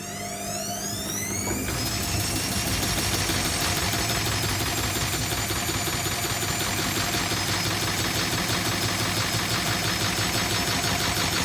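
Engine running with a high whine that climbs for the first two seconds, then holds a steady pitch over the idle; cause unclear.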